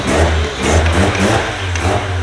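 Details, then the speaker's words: Mazda RX-7 FC with built rotary engine, fresh full exhaust, base tune on a new map, idling smoothly at 1200 rpm. Previously it wouldn't idle below 1800 rpm. Steady, deep, even throb with no misses or knocks, moderately quiet for a rotary: normal idle. "it's also impressive it's idling at 1200 RPM right now it's not super pumped but it's smooth"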